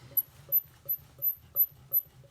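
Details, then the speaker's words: Opel/Vauxhall Astra Twintop heater blower fan removed from the car: sharp, high chirping squeaks two to three times a second as it turns, from a dry motor bearing. "just uh yeah you can hear the squeakiness so it definitely sounds like a dry bearing"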